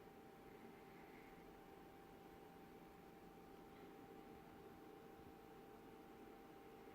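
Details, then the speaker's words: BenQ W2700 projector after start-up, fans running: quiet steady airy hiss with faint hum, no rattles, considered normal fan noise. "You'll hear the fans coming on, and then about 30-40 seconds later you'll hear something else coming on much louder than the fans, and that noise just stays on as long as the projector is on."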